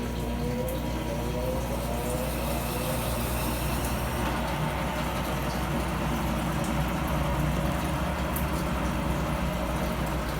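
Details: Brastemp 15 kg top-load washing machine after repair; its loose agitator shaft had caused loud noise and weak spin. Now a steady low motor hum with water swishing, smooth and even, with no knocking or grinding.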